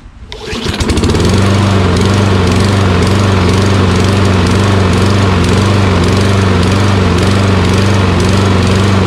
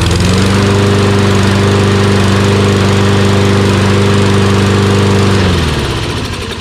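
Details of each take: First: Toro Recycler XT675 mower with Kohler engine, run with the gas cap removed: full-throttle running with a slight uneven hunt in its beat; surging from fuel starvation, owner suspects a blocked gas cap vent. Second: Toro Recycler XT675 Kohler mower after replacing a collapsed fuel line that starved it of fuel: steady even note with no hunting or surging, winds down cleanly at shutoff; surge fixed, normal running.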